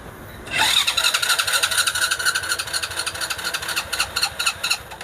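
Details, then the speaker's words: Honda Supra Fit motorcycle with DC CDI ignition, year unknown; electric starter cranks it steadily at about two pulses a second until the battery weakens, but it won't start, yet it starts at once on the kickstarter. "Itu tidak cukup kuat. Mesinnya tidak mau menyala."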